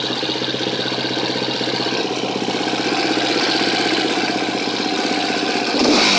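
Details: 2013 KTM 250 EXC-F single-cylinder at idle: quick, even light ticking about four a second that rises with revs; owner suspects the cam tensioner, unconfirmed.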